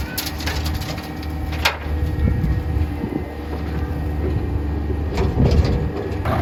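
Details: 1960s Ford F-750 dump truck, revived after not running, idling during dump bed work. Steady, even low rumble with no knocks or misses, just yard noise over it; the engine sounds healthy.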